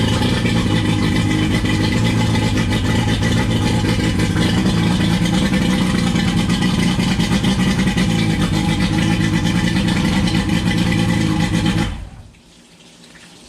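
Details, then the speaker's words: 1999 Johnson 115 two-stroke outboard on a 1999 Wellcraft 190 CCF, started after about a week unused: strong even buzz at fast idle for about twelve seconds, then clean shutoff; healthy. "turned it off so you see it started up pretty good after about a week of not starting the boat and it started up pretty well"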